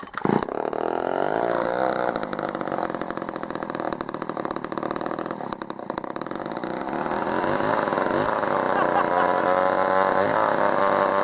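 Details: Vintage Poulan 306A two-stroke chainsaw salvaged from a scrapyard, first start, switched on and choked: fires up and settles into fairly steady buzzy run with slight pitch rise; runs properly.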